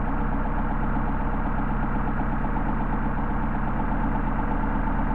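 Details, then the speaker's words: Mercedes 190SL with freshly rebuilt Solex carburetors during idle mixture adjustment: low even idle sags and beats unsteadily as the mixture screw leans it out, then settles when backed out; rough idle when too lean. "same thing over here with the carburetor once again you can hear the idle degrading and back it out"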